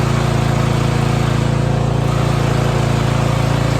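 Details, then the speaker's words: 2021 Toro Timemaster mower, small single-cylinder engine after recoil rattle fix (recoil cover studs hand-tightened only); runs at a steady, even beat with no clicking or rattle riding on top, sounds healthy. "we're good so let's say give it a try and hopefully that'll take care of your problem"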